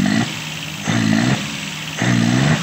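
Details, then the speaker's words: Multicab with Suzuki F6A engine, lacking power, starts on one click: each throttle blip surges and falters, hiccuping on sudden throttle but fine with gradual pedal; cause still unknown. "Ayun, nasinok siya. Nasinok. Dadaan-dahanin natin diin. Pag binigla, Pagdahan-dahan ng diin, okay siya."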